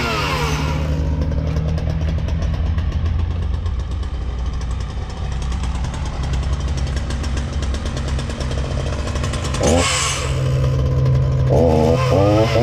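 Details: Ryobi RY3714 37cc chainsaw with 14-inch bar, after carburetor repair for no-start/running only on choke, new air filter and fresh gas: even, steady two-stroke burble holding a smooth idle off choke, no stumbling or surging; running properly.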